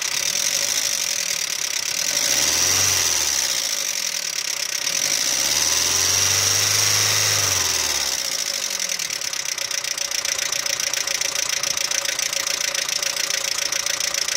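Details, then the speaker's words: Audi 80 B3 engine at idle: fast, fairly even ticking knock, about three to four per second, easing once warm. Owner first suspected hydraulic lifters; teardown found scored bearing shells from low oil pressure due to a faulty oil pump, requiring an overhaul. "Либо масляный насос не отрабатывает свое, не создает давление."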